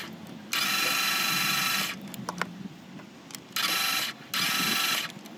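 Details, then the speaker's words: 2015 Ram ProMaster with 2.4 Multiair engine that stopped starting. Fast, light, even cranking with no compression beat; the timing chain looked fine. Crank no start from trapped air in the Multiair valve actuator, fixed by pushing the valve while cranking. "Ese, que ya no arrancó, pero no solo ese, sino que se escucha como si el vehículo no tuviera compresión, como si se hubieran ido las válvulas o la cadena de tiempo."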